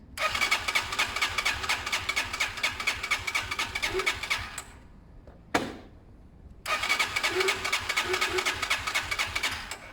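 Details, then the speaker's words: Zontes Mantis 125cc small single during a one-day rebuild, choke on and fuel tap off: rapid uneven popping and spluttering, stalls and restarts rough, spitting through old stale fuel; engine spitting from old fuel. "Do you know what though? That's good for cleaning out the last remnants. That's really spitting through the old shit."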